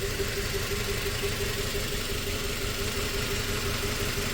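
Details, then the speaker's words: 2004 Toyota Tacoma four-cylinder, 141,000 miles, after swapping coils: still a cylinder 1 misfire, idle skipping a beat roughly twice a second in a shaky rhythm. "So we swapped. We are still cylinder 1 misfire."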